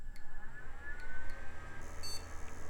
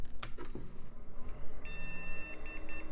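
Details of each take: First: all right those are happy sounds and we did post although it is complaining about my ridiculously long IDE cable Second: Salvaged retro PC on test with borrowed CPU, memory and power supply: one long high beep then about four short beeps, a POST memory error traced to dirty RAM slots, fixed by cleaning with DeoxIT.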